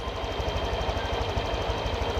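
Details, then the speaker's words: Honda Vario 125/150 automatic scooter, idle screw turned half a turn clockwise: a quick, even single-cylinder putter idling steady but raised, likely above 1600 rpm against a stated 1500–1700 rpm range. "Harjo arah jarum jam Bagaimana suara idealnya dan disini terdengar motor tersebut idealnya membesar mungkin ini di atas dari 1600"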